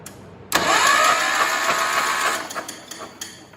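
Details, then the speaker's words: 1974 John Deere 140 H3 with replacement engine from parts tractor, points uncleaned: starter spins the engine for a couple of seconds without a single firing, then winds down; no spark, coil getting power, governor found loose. "No spark."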